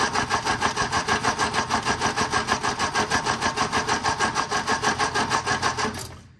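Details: 1957 MG MGA roadster after years in storage, cranking evenly at about three turns a second for six seconds with no catch; plugs cleaned, middle two were black. Spark present, float bowl full.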